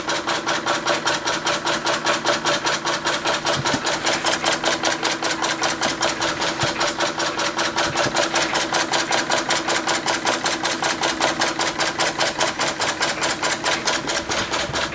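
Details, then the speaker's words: Restored Empco B-43 model steam engine run as slow as possible under its own steam: even, steady chuffing about two and a half beats per second with no knocks or misses; smooth at low speed. "so yeah obviously but see how slow we can get it to run"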